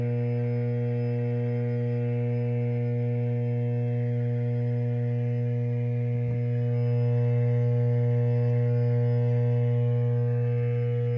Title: =D06 Transformer T703 Bay VT Y- Ph. more vibration and abnormal sound -1 of 2